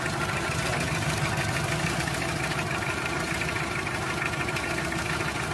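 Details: Toyota 2C diesel engine with a rough idle: uneven, loping clatter with irregular knocks about three per second. The idle is unsteady and the cause is unclear.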